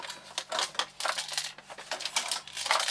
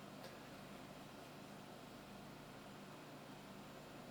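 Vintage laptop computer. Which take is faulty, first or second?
first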